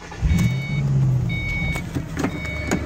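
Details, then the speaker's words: 2005 Ford Mustang 5-speed manual at idle: a thin high whine with the clutch released that goes away when the clutch is pushed in. It is an internal transmission bearing, not the throw-out bearing. "Push it in. Noise goes away. Release. Now, a lot of people would call this a throttle bearing noise."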